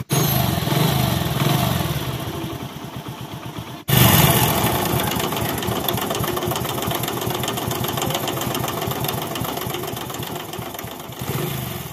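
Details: Hero HF Deluxe/Passion Pro small single after a timing chain replacement; starts on the second try and settles into a steady, even putter with no chain rattle or ticking. Normal, healthy idle after the repair.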